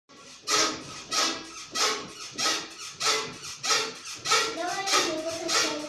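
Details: Toyota Mark II JZX110 rear floating bushing: regular dry creaky squeaks, about ninety-five a minute, rising and falling as the body rocks; silicone grease helps until rain, fix is replacing hub carrier or bushing.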